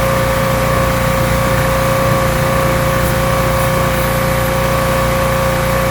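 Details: Rebuilt pressure washer small engine with a known leaking manifold, cleaning a car wheel: loud, constant drone holding speed under pump load, steady pump hum, no surging or misfire; runs really well, normal running under load.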